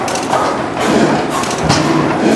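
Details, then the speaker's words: 1912 Otto 150 hp single-cylinder gas engine water pump at museum, just started and still coming up to speed: slow, heavy, quiet chugging beat with even thuds, no knocks or misses; healthy normal running. "Wow, this thing's so quiet, Mike. I don't even know it's running. Well, wait till it gets up to speed yet. It rolls."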